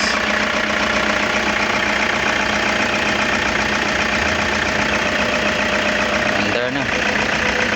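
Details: Toyota HiAce that wouldn't start, with good battery (13.55 V) and fuses, after a bypass wire was run from the starter relay to the starter: a steady, even idle hum with no misses or knocks; it now runs normally.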